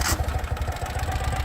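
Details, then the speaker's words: 2018 Ural Retro sidecar motorcycle with a 749cc fuel-injected engine and about 2,500 miles, started in neutral and up to temperature: it catches within very few cranks and settles to an even, low thumping idle with no dips or surges. Healthy. "you can see very few cranks the start a nice smooth idle you don't hear it dipping or revving out to find that nice happy medium"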